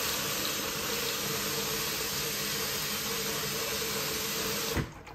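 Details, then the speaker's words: QFlow 2.5kg compact RV/caravan/boat washer, 40-degree 48-minute cotton wash: steady, even hiss of water jetting in for several seconds, then a clean cutoff; normal water fill. "so you can see that it fires and impulses very much like an lg filling oh hello and um that's just so that it clears that that dispenser and make you know helps it siphon out"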